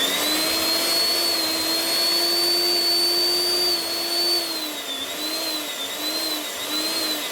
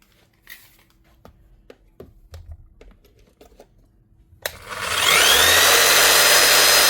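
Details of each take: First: Eibenstock 1700 W machine reported not running: steady motor whine sags and recovers about three times, then winds down; power cutting in and out from a broken lead at the non-locking plug. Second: Power tool dead from a disconnected wire pulled out, brushes well used, after reconnecting: motor spins up to steady even high whir with no stutter, light brush sparking; runs normally.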